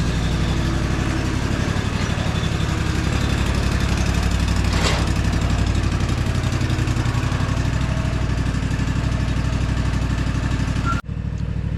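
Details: Gravely ZT HD-48 zero-turn mower with Kawasaki FR691V V-twin, before its 100-hour service: steady, even low thump with no knocks or misses, then switched off; healthy engine.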